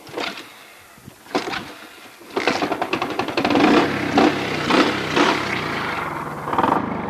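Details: Alfa small motorbike engine after starting: rapid rattling knock rides over the uneven putter, worst from the lower part of the engine; knock inside the motor, cause unknown.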